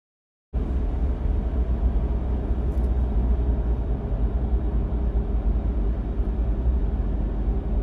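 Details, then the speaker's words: 4th-gen Toyota 4Runner automatic, light acceleration at low speed and low rpm on a smooth road: a deep rumble-strip drone from torque converter shudder; fixed with Shudderfixx. "like you can see I mean this is why they give it the name a rumble strip uh transmission issue I mean that's exactly what it sounds like"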